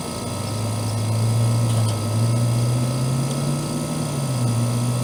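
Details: Trane AC condenser installed the previous June, warranty call for fan-only running; after fitting a hard-start capacitor/start relay, smooth steady low compressor and fan hum with no rattles, knocks or cycling; running normally.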